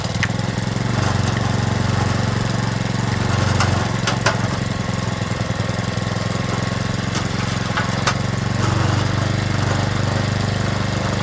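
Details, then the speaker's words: Stihl FS65-4 four-stroke petrol strimmer, badly overfilled with oil, just fired up after repair: uneven fast idle with loose knocking and sharp ticks over the drone, still smoking off excess oil that may need several runs to clear. "Right, so good news, it has fired up. So, like I said, I might have to go through that process a few times till it's kicked all the old oil out."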